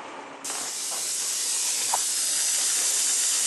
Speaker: you can hear the air hissing out which you should hear that's because the water going into the water heater tank is pushing all of the air out through the hot water tap in the sink